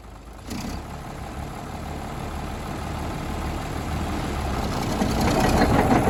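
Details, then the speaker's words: 1951 D8 2U dozer diesel, sitting in a barn since about 1990 with the big motor once stuck, first start on its own power: it catches and settles into a steady, even low chug, swelling gently as revs rise, with no knocks. "that's the first start since they're pretty sure it's been like 1990 was the last time it runs so that was a major achievement there to get it running on its own power"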